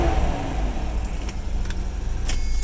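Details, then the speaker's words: 1995 Toyota 4Runner after the fix for a crank-no-start with no spark and code 12: new distributor installed aligned to cylinder one; engine runs with a deep, steady rumble at even speed, no stumbling or misfire, a few light rattles. "now if we come inside now we crank the engine everything should be good there engines running"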